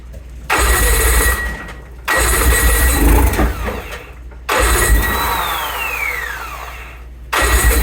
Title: 2008 Evinrude etec 90 no start